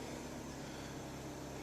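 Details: 2003 Pontiac Vibe idling after exhaust pipe holes from a pothole strike were patched with gray stove and furnace cement: steady even soft hum, no puffing, ticking or rasp; quiet, 100% better, normal exhaust.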